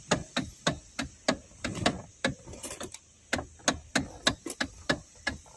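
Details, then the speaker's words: 2012 Hyundai Elantra automatic, engine running: loud sharp hollow knocks about three a second from under the steering column; worn rubber bushing of the electric steering motor coupling, noise gone after fixing it. "So ngayon guys, ipa-start natin kung totoo ba yung concern ni customer na may tumutunog daw sa ilalim ng manubila. Totoo pala guys. Lakas yung sounds niya guys."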